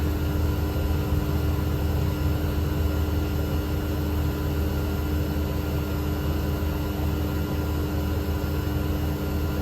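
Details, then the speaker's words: 12,000 BTU mini-split heat pump heating in cold winter weather (about 20–30°F), drawing a peak of about 1.97–1.99 kW: steady deep compressor drone with fixed tones and fan hum, no rattles or surging; inverter running hard but healthy. "this thing is cranking away there you go 1.97 oh a new high 1.98 1.99"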